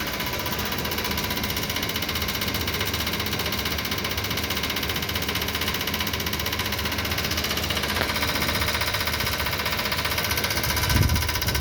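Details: Voltas window AC running: harsh, uneven knocking about four a second over the steady unit hum; rusted, swollen outer body lets the fan blade strike the housing, fixed by tapping the body back with a chisel.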